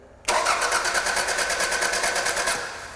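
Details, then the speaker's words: 1999 Toyota Camry 2.2L with broken timing belt cranking without starting; spark present but compression only about 40 psi; fast, unusually even cranking that spins too freely. "interesting it's somewhat unexpected I did have spark as you could see and you could also you might have also been able to hear it compression is not good I mean we're looking at what looks like maybe 40 psi something like that"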